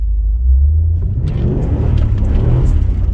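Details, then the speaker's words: Jeep Grand Cherokee WJ driven in low range under heavy throttle, engine temperature 50 °C: deep engine rumble building with no clunks, whines or grinding from the driveline; drivetrain sounds healthy, spinning the tires. "oh yeah no problems there we have to test to see if the quarter Drive works good we'll give it a good bootful here it's blowing the tires off that's for sure"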